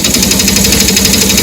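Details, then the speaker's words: Bike engine: fast steady metallic clatter over loud running, indicating piston-related problem, worn piston and piston rings knocking in the bore. "अगर यह आवाज सुनाई दे आप समझ जाओ कि इंजन में पिस्टन रिलेटेड प्रॉब्लम है और इस इंजन में आपको यह सारा प्रॉब्लम देखने को मिलेगा।"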